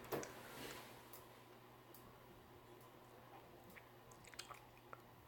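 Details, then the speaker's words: Old Northman Hugger ceiling fan on low speed: quiet, steady low buzz with a switch click and small ticks; low speed is noisy, louder in person. "it's because uh I sleep in here with this fan on and the low speed is pretty noisy it's much louder in person"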